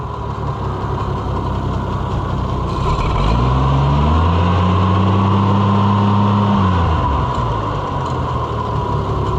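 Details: Oliver 1650/1655 tractor after new Delco-style distributor swap: engine catches and settles to an even idle with a brief smooth rev; fires steadily, healthy.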